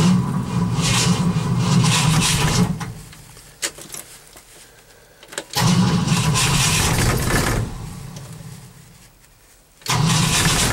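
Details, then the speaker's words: Engine cranked after an overnight low of -11 with start temperature 0: three bursts of slow, labored cranking at about two and a half turns per second, never firing; cold no-start, owner suspects flooding and is unsure of the battery. "y think i flooded him see If I can do this one-handed"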